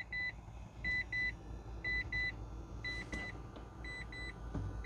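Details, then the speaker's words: Mitsubishi i-MiEV with 47,000 miles, 12 V battery jumped, empty gauge and flashing warning lights: thin high single and paired beeps about once a second over a quiet cabin; not responsive to the pedal, probably won't drive. "yeah not responsive to the pedal so probably not going to drive"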